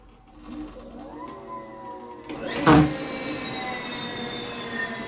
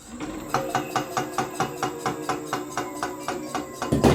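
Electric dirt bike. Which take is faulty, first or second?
second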